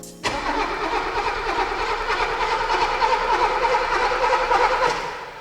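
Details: 1983 Mercedes-Benz W126 280SE, stored 10 years in a barn, on a borrowed battery, first start attempt: starter churns steadily for several seconds but the engine never fires. No spark, broken distributor lead. Crank no start.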